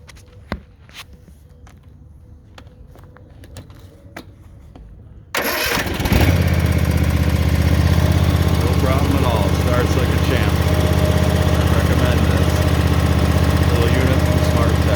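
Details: Ariens Icon XD zero-turn mower, Kawasaki engine, 530 hours, wouldn't start on a suspected dead battery or alternator; jump-started with a jumper box, it cranks, fires within a second and settles into a steady, even idle about four beats a second.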